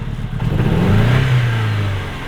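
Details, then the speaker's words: MG ZR with misfire and no power, after fitting new ignition parts: a short rev rises and falls with a ragged, uneven note and vibration felt in the car. It is still misfiring and the cause is unknown. "I think it's still missing. But I don't know. It might be alright. It seems weird. It's definitely not. It's not right."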